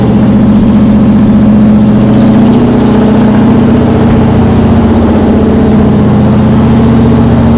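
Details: Cold V8 with a Brawler 650 CFM double-pumper carb (mechanical secondaries; timing 16° initial, 36° total), idle mixture just turned 1/4 clockwise: steady, slightly fast, lumpy idle with a deep even burble, running rich after flooding and still burning off fuel.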